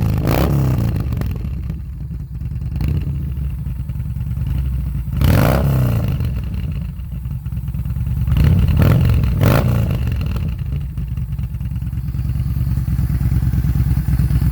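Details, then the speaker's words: 2018 Yamaha Bolt V-twin, 6,063 miles, cold start, stock ECU before flash, Vance & Hines and Bassani slash-cut exhaust: revs and drops back with a few sharp exhaust pops on deceleration (afterfire), typical when shifting or closing throttle. "okay so it didn't pop that bad but what tends to happen is when you're switching in between gears it'll go ahead and release this loud pop"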